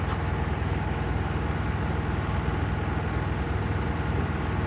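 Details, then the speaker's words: Miele WKG 130 WPS washing machine in spin mode: heavy low rumble with strong vibration through the whole machine and an internal knock about twice a second; most likely worn shock absorbers. "in the spin mode strong vibrations are felt throughout the entire machine I'm trying to show them here because they are not clearly visible in the recorded video in addition to them there is a knocking noise from inside in most cases this is due to wear of the shock absorbers"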